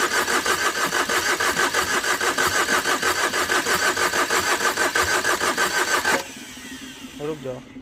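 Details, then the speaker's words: Overheated Tata Vista, radiator hose knocked off in an underside impact: long, even crank at about three beats a second stops after six seconds without firing; owner suspects a blown gasket and a gone engine despite compression. "तीन scan पूरा complete हो चुका है लंबे लंबे prank हम मार रहे हैं इसके बाद जो अधिकार स्टार्ट नहीं हो रही है"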